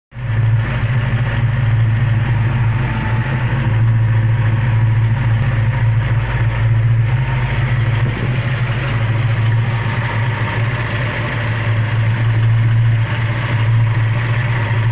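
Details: V8 with 413 aluminum heads idling: steady deep rumble with a light, fast ticking riding faintly on top; suspected lifter tick, not confirmed.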